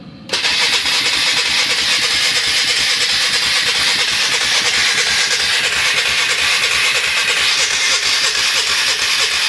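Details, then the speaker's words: 1996 Polaris Marauder 425 4x4 four-stroke, fuel on reserve, ignition on: steady cranking churn about three beats a second, never fires; choke tried, owner suspects weak solenoid and no fuel reaching the filter, fuel pump unverified. "Still nothing. Let's give it some choke. I think that solenoid is not feeling too hot, but also I don't see any fuel in the fuel filter, so that might be bad."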